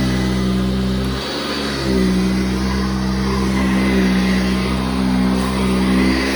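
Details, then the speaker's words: Eureka vacuum cleaner running without a bag: steady motor hum with a rough grinding buzz throughout, which sounds like a belt grinding against a fan; it also leaks air with a slight hiss. "That sounds like a belt grinding against a fan."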